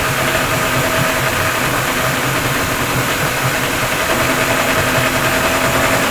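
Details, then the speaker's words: Yamaha 40 hp two-stroke Precision Blend outboard with oil injection, after carburetor cleaning: started on the first pull, smoky from oil-filled cylinders, and runs at a steady fast idle with a busy two-stroke buzz, no knocks or hunting; healthy. "that's after the card clean and it started on the first pool I knew it was going to be smoky because the cylinders were full a two cycle oil"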